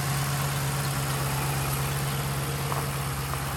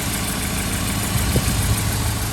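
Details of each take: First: 2013 Chevrolet Caprice PPV with LS-based L77 V8, displacement-on-demand deleted and an LS9 camshaft, running great after fixing the crank reluctor (1x replaced with correct 4x); steady idle, deep exhaust, faint cam lope. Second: 2013 Chevy Caprice PPV, L77 LS V8, after displacement-on-demand delete: low, lumpy idle with uneven pulse and occasional stumbles; rough running traced to a cam gear with the wrong reluctor pattern.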